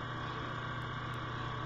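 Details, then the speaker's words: Steady whirring drone with a rough pulsing low hum from the failing cooling fan of a roughly three-year-old Dell Inspiron 15Z 5523 Ultrabook laptop, fan due for replacement. "this is i don't know if you can hear that what's the fan starting to make some noise now"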